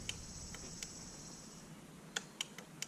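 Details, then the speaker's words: Lincoln Town Car rear power window: a few sharp irregular clicks in a quiet cabin, no motor hum; the window circuit clicks but the window does not move. "I can still hear it clicking."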